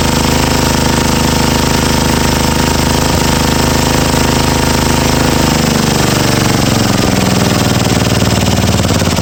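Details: Old 12 HP Tecumseh XL single-cylinder engine revived after a mouse nest and a replacement carburetor bowl, thumping along steadily, speed sagging slightly then holding; running fine again.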